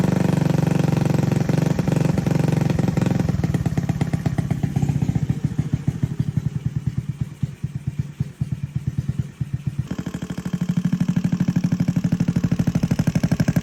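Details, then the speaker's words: Honda Navi scooter that cranked but never fired (old carb clogged with dirt after water/off-road use), now firing on a new 19mm Nibbi carb with idle and main jet untuned; steady putter that sags and recovers slightly, running normally. "yeah so this did end up firing uh since it is a new carb though nothing set up idle's not set up Main Jet not really anything uh idle screw so just kind of a guess and slap it on for now"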